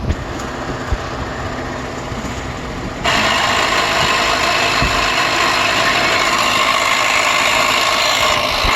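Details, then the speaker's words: 2012 Ford F-150 3.5L EcoBoost idling, mic near the vacuum pump behind driver's side headlight: harsh steady grinding rasp; corroded metal vacuum pump with failed bearings, replacement planned. "okay so when i touch it under the wheel over here you can feel it but the whole thing is shaking because it's messed up and the reason that happens is because it corrodes in there the original one is metal and it corrodes and you get rocks and dirt up in there and it gets seeds and the bearings go bad"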